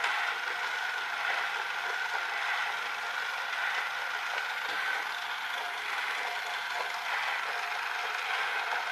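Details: Electric toy train styled like a clockwork toy, with broken gears that need replacing. A thin high gear whir with irregular crunchy clicks about once a second as the broken teeth skip, momentum stepping it over the broken gear.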